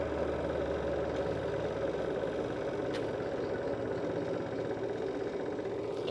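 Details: Sharp washing machine spin-dryer motor after its burnt winding was rewound and glued against vibration, tested spinning: steady, even mid-pitched motor hum with no scraping or knocking; normal spin motor running.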